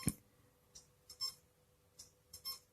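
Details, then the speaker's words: Seagate Expansion desktop hard drive not detected by the computer; short, repeated chirping beeps about every second as it tries to spin up, a failing drive that won't start; recovery attempts failed. "I'll turn it on and you can hear the horrible noise it's making it's spinning up"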